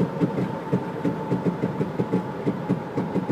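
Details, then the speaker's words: 2000 Jeep Grand Cherokee Laredo at about 45 mph. Dull, regular pops on deceleration when lifting off the gas, gone when throttle is applied, mostly between 35 and 50–60 mph. "when I take off the gas there's a popping sound want to give it gas goes away generally only happens between 35 and 50 maybe 60"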